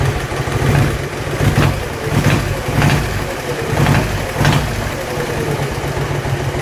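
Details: Dnepr-11 (Днепр-11) motorcycle engine: loose, uneven idle with a dull knock roughly every half to one second; engine was opened but the source of the knock was not found.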